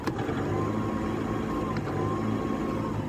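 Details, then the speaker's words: Toyota Revo D4D 4-cylinder direct-injection diesel with check light on, pedal floored: flat, unchanging drone that never climbs in pitch, sound turned harsh; won't take revs, cause not yet known. "Race नहीं ले रही और अभी बंद हो जाएगी थोड़ी देर बाद।"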